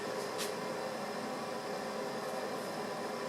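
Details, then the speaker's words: West Point space heater that had only been blowing lukewarm, after reassembly: steady, even fan rush with a faint mid hum, no rubbing, ticking or rattle; now pushing air and heat again. Normal operation after repair. "Now we're pushing some air and some heat. Beautiful."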